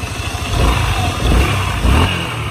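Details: Honda SH 150i scooter, worn CVT clutch bell after long use: low, uneven rumble that surges and shakes as throttle opens, pull not keeping up with revs, weak take-off; slipping, juddering clutch, repaired by rebuilding.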